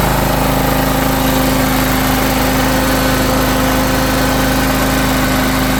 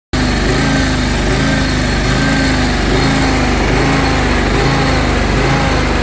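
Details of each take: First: John Deere X540 riding mower after 20 years of neglect, after carburetor cleaning and rebuild with new parts: an even, steady engine beat with a constant tone and no misses or surging. Before, it was hard starting and the idle hunted up and down. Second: John Deere X540 mower, neglected for 20 years and hard to start (needing full choke), hunts at idle, its speed swinging up and down about once a second; lean fuel starvation causing the surging.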